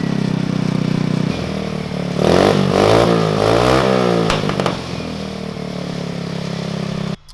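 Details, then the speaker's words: Zircon 150cc go-kart engine after performance CDI, Hammerhead exhaust and valves adjusted to 0.002 in: even single-cylinder idle, quick clean rev, better revving, no valve rattle as before; normal running. "the exhaust does sound really good it seems like it revs a lot better and you don't hear that valve rattle that we had before"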